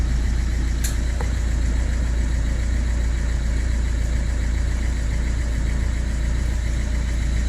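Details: 2010 Ford C-Max diesel, stood half a year with battery disconnected, wouldn't start with immobilizer errors; after clearing faults: steady even idle, smooth low rumble, no knocks or misses.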